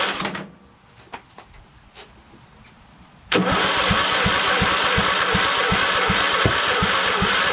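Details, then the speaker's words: Craftsman LT2000 lawn tractor repowered with a Kohler Courage engine on choke, start attempt after sitting: starter drags slowly, under three compression beats a second, never catches; weak, dying battery starving the cranking, no start. "oh okay it won't start and uh batteries kind of dying so i need to recharge and uh didn't even have any signs of starting huh but the battery did seem kind of slow though"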